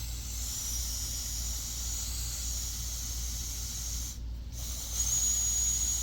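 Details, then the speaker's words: Bus RV drain line found pressurized, owner suspects heavy rain contributed; steady, sharp hiss of trapped pressure escaping, briefly cut off then resuming, as pressure is released. "It's pressurized. Just got to release the pressure."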